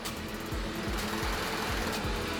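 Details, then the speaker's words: Brastemp BMS27 microwave, previously worked on by another shop, with a blown fuse replaced: on starting, rapid relay clicking over a low hum, then it shuts off into protection. The cause is a faulty upper internal door switch. "Aí quando você vai ligar o aparelho, você se depara com esse sintoma aqui, ó. Olha lá. E o aparelho simplesmente desliga."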